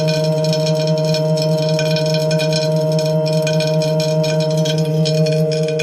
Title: TACX Neo grinding noise on disk - NO CASSETTE